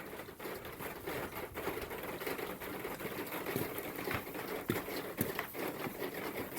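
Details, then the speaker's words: Standing seam metal roof: rapid, irregular tapping and pattering as water drips off the dormer onto the lower gutter cover; quieted by new seamless gutters and Leaf X covers. "water is dripping off the dormer and landing right on the cover of the lower gutter"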